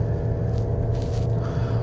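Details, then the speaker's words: 2007 Toyota Camry 2.4 with sudden power loss, driving uphill at full throttle: deep strained drone with no gain in pace; exhaust restriction, suspected clogged catalytic converter rather than bad transmission. "now we're going to see right now I'm going up this hill and um yeah this thing is struggling hard this thing is really really struggling to even go up this hill"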